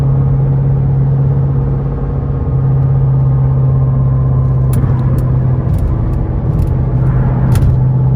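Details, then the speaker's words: Mercedes C63 AMG at highway speed: steady low drone over tire roar, started like a pad stuck to a rotor and grew with speed; went away in heavy left turns, suspected driver's side rear wheel bearing. "It sounded like a wheel bearing to me, because it would go away when I made a left turn, like a heavy left turn."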